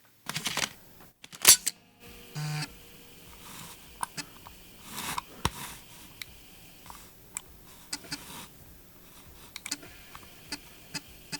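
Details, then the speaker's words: 1986 Apple Macintosh Plus floppy drive after full cleaning, service and replacement cogs: quick mechanical clicks and short whirring bursts as it seeks and spins; floppy drive working normally. "it's working and this is so cool"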